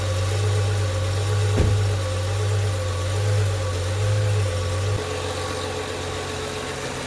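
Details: 2011 BMW 335i xDrive E90, N55 six-cylinder, idling after replacing accessory belts and pulleys: smooth steady hum with no rattle or chirp; normal belt drive after repair.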